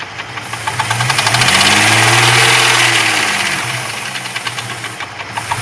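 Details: Jeep 4.0 engine, hot: sharp regular knock about four per second over the idle, rhythm tied to engine speed; internal knock, cause unknown.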